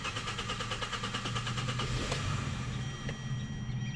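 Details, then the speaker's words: 2013 Hyundai Sonata 2.4 GDI with long-crank problem, fuel pump relay removed before high-pressure fuel pump replacement, cool engine: runs briefly with a soft, uneven pulse then dies as fuel burns out; stall from fuel starvation. "okay and you see it run for just a little bit and it died so we should have uh the fuel burn out"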